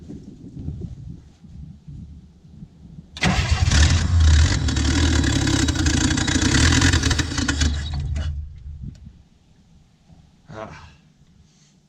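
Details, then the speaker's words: 1967 Chevy II V8, already warm, with a known hard-start problem: long cranking before catching, brief unsteady run that fades out; owner suspects a vacuum leak. "maybe not maybe it'll take a couple times let me uh pop that open [Music] looks like it needs a little air i'm not blocked"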